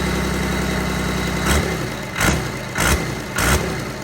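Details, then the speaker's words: Cummins diesel in a burnout truck build, first run after assembly: steady low idle with faint metallic ringing chatter and a few short blips; owner thinks the gears are chiming, unconfirmed. "we know it runs that's plus i think sounds like the freaking gears are chiming"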